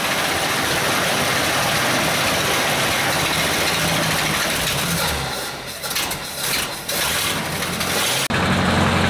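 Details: 1937 Buick limo, restored in 1980s and stored, first start in 25+ years, started with starting fluid, air cleaner off. Rough but steady straight-eight idle with loose uneven beat and some dips, running on its own.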